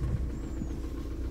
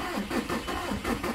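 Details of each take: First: 2000 VW Jetta TDI diesel, warm, after head install with used piston and rod and timing set via VCDS-lite: low steady diesel idle rumble, even beat, no knocks or misses; normal idle, timing in range. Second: 2000 VW Jetta TDI diesel after cylinder head install with used piston and rod and timing set: slow, labored starter cranking about three strokes a second without catching, weak cranking; owner suspects air in injector lines needing bleeding.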